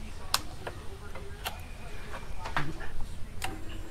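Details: Yamaha R15 V2 starter problem, part 2: after tightening the two battery-to-starter-motor lines, pressing the starter button gives sharp, irregular clicks over a quiet background; the starter relay is engaging normally.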